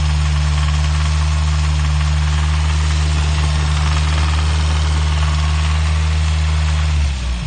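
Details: Toyota 22RE engine at idle: deep steady hum with a loose clacking knock about four per second on top; owner doesn't think it's loud valves, cause not yet identified.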